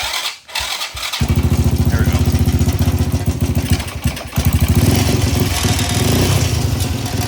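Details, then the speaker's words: Lawnmower engine built into a full-suspension ride-on, first start with a booster pack connected: catches after cranking, runs with uneven lumpy pulses and a rattle from a loose chain; rough running, owner thinks the carb obviously needs cleaning. "so it obviously needs a carb clean"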